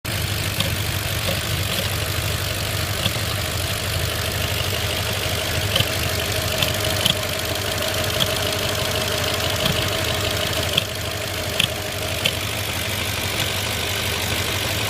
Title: 05 A6 4.2 misfires and thumping sounds from throttle body/manifold?